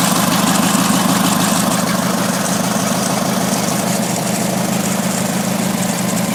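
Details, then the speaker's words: Opposed-twin Briggs & Stratton engine with new starter, running after head gasket replacement, no compression test done yet: steady even putter with a firm low drone, no knocks or misses. It stalled once but sounds healthy. "Typical. Stalled. Sounds really good though."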